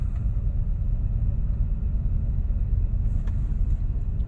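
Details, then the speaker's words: 2000 Buick Park Avenue restarted after fixing a faulty ignition control module harness; steady, even low rumble with no misses, knocks or hunting, idle possibly around 1000 rpm which the owner questions as a little high: normal idle. "isn't it a little high to to go at a thousand for these engines is this like 800 or 600"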